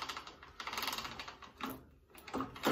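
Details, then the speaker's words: 1984 Honda CR125 two-stroke motocross bike, engine off: gearbox check from neutral up through all six gears and back down, each shift a crisp, clean click with no grinding; gear selection is normal. "First gear, up into second, third, fourth, fifth, and that should be sixth, and there's no more gears. 6 is the top. Down into fifth, fourth, third, second, and back into neutral. So that's all good."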